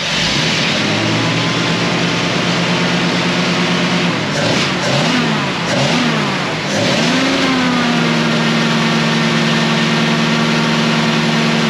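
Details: 1937 Ford 59AB flathead V8, straight-pipe dual exhaust, recored radiator, just started cold: loud, few quick revs then smooth even idle, lumpy, owner unsure if cammed; oil pressure about 30 cold; normal running.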